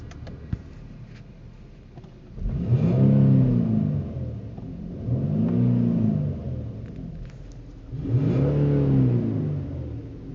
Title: 2012 Infiniti G37x Sedan weird interior buzzing noise